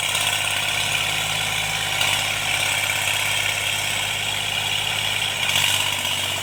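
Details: Tractor diesel pulling a cultivator after an engine-knocking repair: steady drone with even firing and no knock coming through, running normally and healthy under load.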